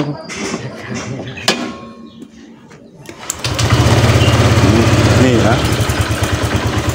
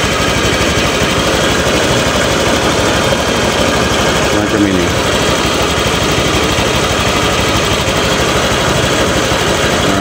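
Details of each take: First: Honda Vario scooter after repair: the clogged catalytic converter was opened up and the exhaust reinstalled. It starts and settles into an even, steady single-cylinder idle with clean throttle pickup, no longer choking at the bottom end; it sounds healthy. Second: Honda Vario scooter killing spark plugs within about a week, with high fuel use and power drop. Before a hole was drilled in the silencer, it idles loud and rough with a choked, pressured exhaust and uneven chuffing, a clogged catalytic converter and silencer.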